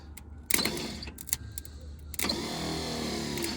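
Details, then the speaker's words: Old Clark forklift bought at auction, first start attempt: a few clicks, then starter whirs freely at high pitch and winds down without turning the engine; Bendix gear not engaging, starter to be removed. "can hear the Bendix gear is not engaging."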